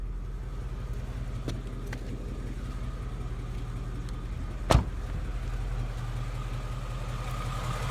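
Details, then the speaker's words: 2016 Mustang GT 5.0 Coyote V8 with about 10,000 miles, warm and AC off, mic at the fender: quiet, even idle with faint valvetrain clatter and no ticking. Normal idle. "See how quiet that is? There's no barbecue igniter tick. There's really no infamous Mustang Coyote tick as well. All you hear is some valve train noises that are considered as normal."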